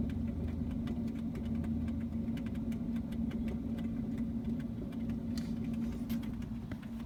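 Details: 2010 Toyota Prius, noise at rear passenger side: steady low hum with scattered light clicks and faint irregular rattle or gurgle; owner feared the battery, cause unconfirmed.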